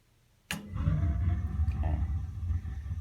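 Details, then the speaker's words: Gas water heater with suspected thermocouple problem (keeps shutting off): after pilot held lit about a minute, valve turned on and thermostat raised, soft whoomp then steady low flame roar — main burner ignites normally. "can hear that. The burner started working."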